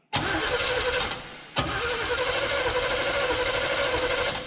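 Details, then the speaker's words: 1978 Chevrolet C30 ramp truck, HEI ignition, off road ~7-8 years, −4°F, cranked without fuel: steady even cranking with brief pause, no rod knock, doesn't fire; engine turns over cleanly. "in theory I didn't hear any rods trying to escape the side of the blocks oh that's a plus"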